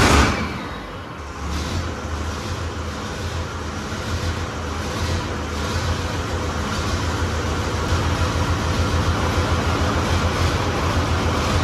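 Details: Six-cylinder Fordson Major tractor puller diesel with turbo (no air intake fitted), test run after twin-plate clutch upgrade to ceramic plates and skimmed intermediate plate: steady, even low rumble after the start, no knocks or misses; clutch doesn't drag or bite.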